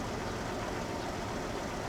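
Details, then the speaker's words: 2000 Jeep Cherokee XJ, 193,000 miles, neglected, cold lifter noise issue: smooth even low idle with good oil pressure, no top-end ticking once warm; engine sounds healthy. "all right so sing it up sounds pretty good I got good oil pressure and now I'm just going to put in gear"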